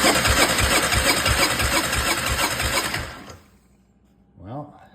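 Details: 2004 Honda TRX400 Foreman ATV: steady cranking at about three turns per second with no firing, then silence; a glove on the intake tests for backwards cranking or a jumped timing chain; cam timing jumped on a slack chain.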